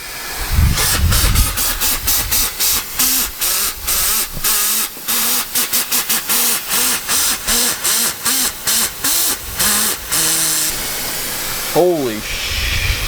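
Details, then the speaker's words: 2004.5 Ram 3500 5.9 Cummins with low power, boost leak test at about 7 psi: loud, steady, rapidly pulsing air hiss from the intake; boost escaping at a cracked rubber coupler, clamp to be moved. "no wonder the truck has no power stands like it got a lot of power oh no fit it come back in here i thought it was out here yeah but the piper's crack it's the rubber"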